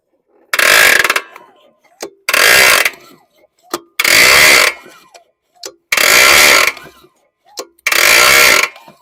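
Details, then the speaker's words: 2022 Hyper Tough 20-inch mower with E300 engine, pulled over by hand: harsh grinding crunch about a second long each pull, repeating every couple of seconds, constant rather than tied to compression or exhaust stroke; suspected internal damage, cause unknown. "like I've never run across one that sounded like that so I don't know it's it got internal damage"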